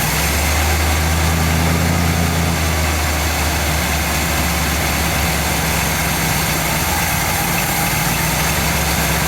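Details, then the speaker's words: 1959 GMC pickup, 327 small-block Chevy V8, first start in 15 years, idle mixture screws backed out another half turn: low uneven idle surging and sagging for the first few seconds, then barely holds; still running too lean to idle alone. "there the idle circuit kicked in hopefully no not going to do it so um it it at this point is close to running on its [Music] own but it still is too lean"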